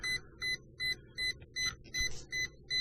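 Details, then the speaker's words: Brushlesshobbies LT4-120 RC car ESC: holding the button while powering on to program, steady high-pitched beeps repeat nonstop, about eight in three seconds, with no receiver light; won't enter programming mode. "try and do the programming push the button turn it on beep beep beep let go and she doesn't stop beeping no receiver light on"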